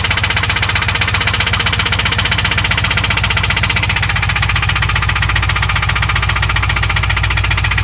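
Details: 2001 WS6 LS1 5.7L V8 that ticked at high rpm, lost oil pressure shifting and was found with zero oil, now refilled: running with sharp, regular ticking knock, about four per second; cause unknown.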